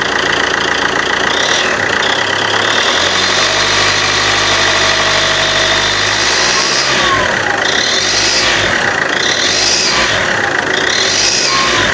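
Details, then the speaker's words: Alfa Romeo 159 1.9 Multijet diesel before repair: a sharp hissing chuff over the engine that swells with throttle is exhaust gas escaping through the gasket layers at a warped exhaust manifold with integrated turbo; exhaust manifold gasket leak. "the noise that you hear on the beginning of the video is the gas is passing through the layers of the gasket"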